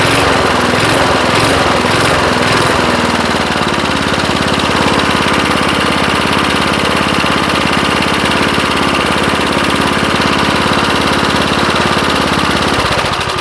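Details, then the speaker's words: 1975 Murphy's 20-inch push mower with an old 3 hp Briggs and Stratton engine, first run after long storage in a shed: even, steady putter with no misses or knocks, then winds down at the end. "I got to say she don't sound too bad sitting here running motor does sound really good I I'll say that so yeah I'm I'm quite impressed"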